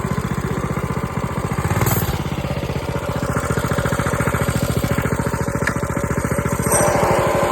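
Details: Coleman B200R minibike, just fitted with LED headlight: fast, loud single-cylinder putter with a rattly edge rising briefly with throttle; noisy drive chain, cause unknown.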